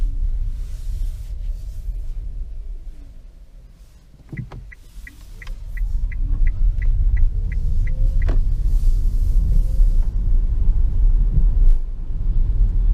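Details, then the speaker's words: 2015 Nissan Leaf on a wet, muddy road in regen mode, gentle acceleration and deceleration, after lubricating the front stub axle splines and retightening the hub nut; steady tyre rumble with no click; clicking axle fixed. "but i hope you can tell that it's not doing what it was doing before in terms of that click as we were accelerating and decelerating"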